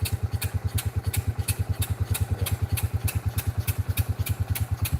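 Slow, steady thumping beat, a little over three per second, even and unbroken; the old single is running smoothly.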